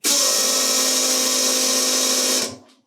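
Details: Ariel Atom replica with rebuilt fuel tank, one fuel pump running alone (about 4 bar, one bar above stock pump): steady high-pitched whirring hum for over two seconds, winding down cleanly; healthy pump.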